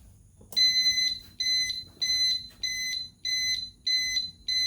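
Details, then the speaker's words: EZGO Express S4 golf cart, new combo warning light-alarm bench-tested at 3.5 feet before muffling, loud shrill evenly spaced beeps about 1.5 per second reading about 80 dB, louder than the stock speaker; normal. "all right it looks like it runs about 80 which is a little bit higher than what the current speaker is"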